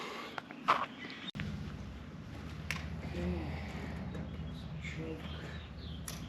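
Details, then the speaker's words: Motorcycle bobber V-twin with new Cobra exhaust, cold start before carb sync: low, loping, slightly uneven idle; front exhaust port stayed cool while rear got hot, front cylinder suspected lean until warm. "On initial start, I'm pretty sure the front cylinder was not getting enough fuel. The front exhaust port was pretty cool while the rear one was getting quite hot pretty quickly."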